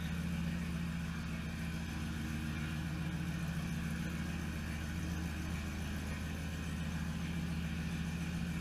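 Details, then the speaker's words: Truck with tow/haul mode on, driven into the shop before its 4L80E transmission swap: even, deep engine rumble at a steady pace without misses or knocks; engine sounds healthy, running normally. "Tow haul's on for some reason. I'd say that sounds quite nice."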